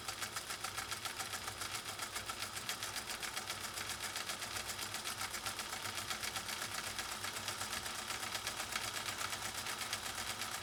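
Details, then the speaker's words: Scottish-built Singer Featherweight 222K (1953–1961) sewing thin 100% polyester ribbon looped around the free arm: light, quick, even stitching clatter at roughly four beats a second, unlaboured; the machine sounds healthy and free-running. "and I have it looped around the free arm so we can sew in a circle sort of and you can hear this incredible 222k do its thing on some lightweight material"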